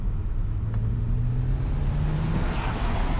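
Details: BMW 1M clone, factory twin-turbo petrol, with new intake and blow-off valve, making only about 4 psi versus 9-10 psi expected, boost leak suspected; note climbs under boost, short soft blow-off whoosh on lift-off, working.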